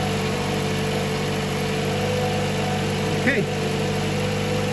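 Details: 2016 Toyota RAV4, three years old, idling during battery/alternator test (battery 12.8 V, charging 14.2 V normal): smooth, even low hum with steady tone and no knocks or ticks; a healthy idle.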